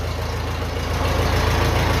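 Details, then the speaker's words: 1957 Ferguson FE35 TVO tractor after the vacuum leak at the carb flange was sealed with grease and the cylinder head retorqued: steady, even low idle with no hiss, running really well. "I took off the rocker cover, I retorqued the cylinder head as well. So it's running really well."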